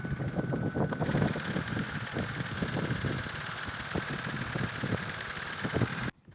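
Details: BMW with a rough idle getting work done; engine idling with uneven, stumbling beat and irregular pulses; rough idle, cause unknown.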